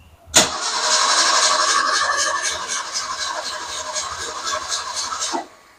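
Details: Car that sat, fuel delivery problem, fuel pump wouldn't prime, trying with gas can and pumping throttle: starter spins engine with steady chugging about four beats a second for five seconds, never catches; crank no start, cause suspected.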